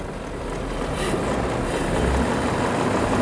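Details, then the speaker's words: Museum engine started after priming to about 15 psi, in neutral: very quiet, smooth idle barely audible under a steady fan whoosh; a little jack shaft drives a dynamo; sounds healthy. "Wow how quiet is that most of what you can hear is the fan"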